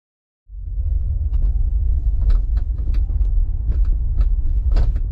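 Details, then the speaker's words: Hyundai Ioniq 5 driving away from the dealer after a fit-and-finish repair: low road rumble with sharp irregular rattles and clicks from the rear, worse than before. The liftgate is rattling. "as soon as I leave the lot I start hearing this ridiculous rattling sound from the back so much worse than before"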